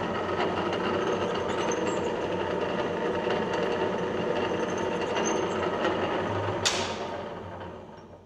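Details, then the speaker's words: 1950s Czech TOS C-45 lathe, gearbox in the slowest speed with the lever on the left (slow) side, range 28–710 rpm: a steady mechanical whir with fine gear chatter, then it spins down near the end. This is normal gear noise. "Nyt käydään läpi tuossa, miltä se kuulostaa. Nyt on hittain vai?"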